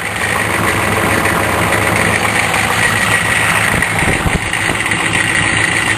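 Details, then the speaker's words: Diesel truck on a cold start, loud steady idle with a fast light rattle on top, heard better from the front; worn vacuum pump getting noisy, owner expects to replace it. "soon uhoh yeah hear it my vacuum pump getting rattly think that means I need a new vacuum pump"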